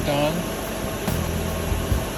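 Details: 2003 Ford Thunderbird 3.9L V8 after replacing the 19-year-old failing A/C compressor and accumulator/drier and recharging R134a: engine runs steadily, then one sharp click as the clutch pulls in; compressor engages cleanly, normal.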